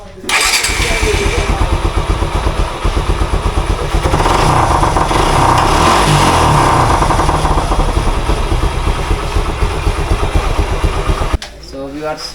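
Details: Suzuki SF-Gixxer motorcycle: catches right away, then settles into a smooth, even run for ten seconds with no knocking or ticking from the timing chain; the engine sounds healthy.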